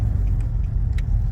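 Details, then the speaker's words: 2013 Nissan Navara D40 with the YD25 2.5 L turbo diesel at 240,000 km, road test after intake manifold decarbon and EGR clean. A deep, even rumble pulls steadily under load with tyre noise over it. Power is restored through the rev range. "Rev range is much better. Oh. Whoa, that's fucking hell. That's got heaps more all the way through the rev range. That's unreal."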